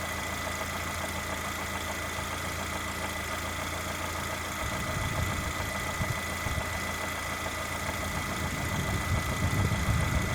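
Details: Lada Granta with the 127 engine, warm idle: light, fairly regular tapping about three to four a second over the engine note; engine knock occurring when hot, source not pinned down.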